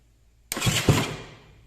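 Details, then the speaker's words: 2015 KTM 250 XCW electric start, after replacing the Bendix (starter drive) for a no-crank/grinding problem, test before the cover goes back on: short, clean starter engagement and cranking with no grinding or slipping; normal starter cranking. "I'm gonna hit the starter button quick make sure everything's working good before you fully button it up"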